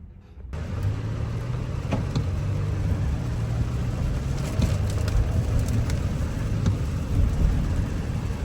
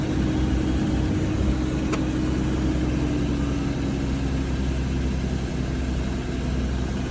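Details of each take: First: Audi Q7 supercharged V6 idling steadily with no stumble or vibration after repairing a cylinder 6 misfire; normal running after repair. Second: Audi Q7 supercharged petrol V6 idling with a slightly uneven low rumble from a cylinder 6 misfire, tested by swapping the coil pack.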